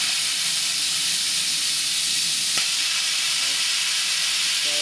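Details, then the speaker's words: New vertical test boiler at about 140, two safety valves set at 120 opened: steady loud steam hiss without sputter as the gauge drops, valves relieving pressure properly; pressure rises again once shut. "But you can see what's happening is the gauge is dropping. So, that means that they're capable of relieving the boiler like they should."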